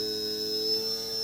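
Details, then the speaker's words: JUGS BP-3 controller board 180-2406-0 after repair, third output channel test with a non-original motor needing a nudge to start: steady high thin whine, no surging or rattle; motor running smoothly, channel works. "Just need a little kit to get started, of course, because that's not the original motor. There you go."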